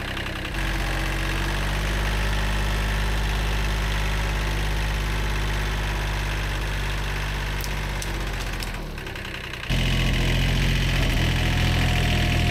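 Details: Old, worn Kubota B7100 diesel tractor after a gearbox rebuild that replaced chewed-up gears and bearings: a steady, even low chug with no grinding or whining from the gears; the drivetrain sounds smooth.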